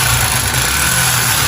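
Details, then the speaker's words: Yamaha Factor (also called an XBR) single-cylinder motorcycle, brought in only for an oil change: loud clattery mechanical rattle over the exhaust at idle. Cause later confirmed as a worn cylinder kit (piston and cylinder), not the connecting rod. "Ó, tem que acelerar devagar que, ó, pistão só pela descarga, hein. Aqui vai sair pistão, corrente de comando, tudo, rapaz."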